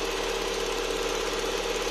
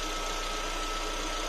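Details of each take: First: Lada Vesta warming up at idle: quick light ticking, about two to three per second, then stops; characteristic noisy EVAP canister purge valve chatter before adjustment. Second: Lada Vesta at idle after adjusting the EVAP canister purge valve: smooth quiet idle, faint steady hum, annoying chatter gone though valve still operates; inaudible in cabin and under hood.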